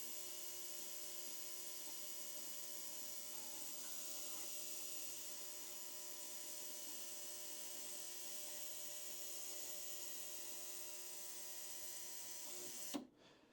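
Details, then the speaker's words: Ultrasonic cleaner running with engine parts from a 1958 Pontiac 261 inline-six restoration: steady high-pitched buzz and hiss over faint hum until switched off, grime clouding off the parts; normal operation. "I'm going to turn the machine on. You'll hear it buzzing, and once it does, you see what looks almost like a cloud and almost like smoke coming off of the parts, and that means that it's the grime that's coming off of it."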